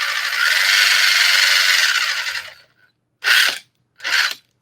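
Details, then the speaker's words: Traxxas TRX-4 crawler after installing rebuilt metal gearbox with TDK grease and thread-locked screws: dry gritty, grunty whir of gears turning evenly under the motor, gear change tested, two short bursts; healthy. "The sound is good. I like that sound because it's really grunty."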